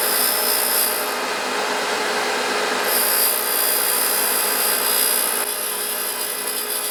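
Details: Grinder "Herbert" running with its newly fitted motor, wheel just dressed concentric after causing undulations in the steel: steady, even grinding hiss with no surging or rhythmic rubbing; wheel runs true, normal operation.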